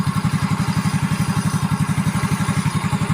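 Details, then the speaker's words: Yamaha Mio J after repair for a rough, knocking, smoky engine. The cylinder block and piston were replaced with an aftermarket RKN block. Idle now has a quick, even thumping beat with no knock or rattle: a smooth, healthy single-cylinder. "Nih suaranya jos banget kan mantap"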